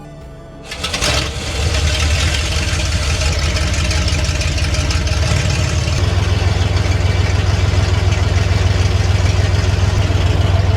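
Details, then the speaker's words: Big-block V8 Bronco off the road 13 years, cleaned up and first fired after a long sit for a heat cycle: starter whirs, engine catches within a second and settles to a deep, even rumbling idle; healthy start. "Sounds good. Sounds real good."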